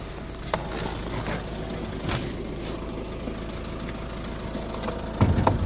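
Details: 2007 Skoda Octavia vRS 2.0 PD TDI 170 diesel rocking at tickover, streaming unburnt-diesel-smelling smoke, poor performance: heavy, lumpy idle with uneven thuds, rough idle misfire; owner suspects an injector problem.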